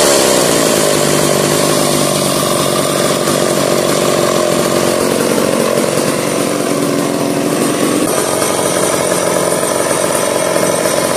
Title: will it start? 1990s McCullough pro Mac 700 ( sitting for 7 years)